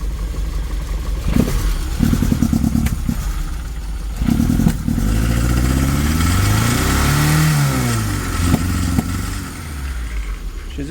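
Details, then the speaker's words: 1980 Triumph TR7, cold engine blipped after thermofan removal: revs rise and settle slightly rough and uneven but the loud squeal previously heard on revving is gone; normal revving, no squeal. "I'll just show you now that when you start it up, how much nicer it sounds. So before, when you give it a rev, she'd squeal really loudly."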